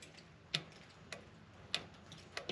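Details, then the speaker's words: Woodmizer LT35 sawmill, 25 hp Kohler engine, during carburetor swap: a few sharp light ticks at key-on, engine off, from the carburetor getting power; normal, confirm before reassembly. "it may not be a hum it's going to be more like a tick like a tick you'll hear it get power"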